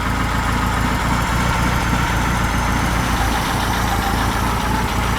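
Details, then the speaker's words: Freshly built high-performance air-cooled VW flat-four for a Baja Bug, first run at the builder's shop, warmed up at bottom idle, expected to rise slightly as it warms further: low, even, smooth steady thrum. Normal idle. "warmed up bottom idle right there so and it'll as the engine warms up your idle will go up a little bit more than that"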